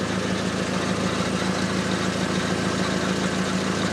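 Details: VW Jetta running, car jacked up: faint regular tick, roughly two per second, over a steady idle hum; a small exhaust leak near the oxygen sensor, later located with soapy water.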